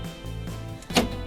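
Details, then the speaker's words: Newly installed central lock on a Chevrolet Luv pickup, driver's door, using a replacement module after the first online-bought module failed: one short, sharp motorized clack over background music; lock actuators working normally. "Nah kan kelihatan bisa, dari suaranya kan kelihatan ya. Nah bisa tutup, buka, kancing, buka. Ini berfungsi."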